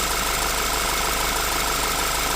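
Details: 2014 Audi Q3 2.0-liter: steady even idle, constant hum, no misses, knocks or pitch rises; alternator receives ECU control and battery voltage, charging healthy.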